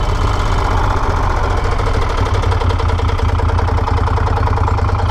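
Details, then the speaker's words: Moto Guzzi Stelvio twin, engine rebuilt after nearly seizing, tested after reassembly: deep, even thumping idle with both cylinders firing steadily and no missing or knocking; the twin now runs normally, where before it ran like a single. "Y la verdad es que este motor está ahora mismo súper redondito, súper bien."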